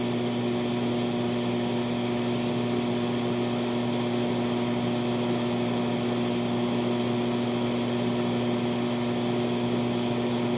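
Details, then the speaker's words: TLP Audio phono stage residual noise before an SP capacitor pack is added: constant low buzz under soft hiss with no rhythm or pitch change; power-supply ripple hum. "and here the noise right now the residual noise of the phono stage i will give you another 10 seconds to hear the residual noise of the funnel stage"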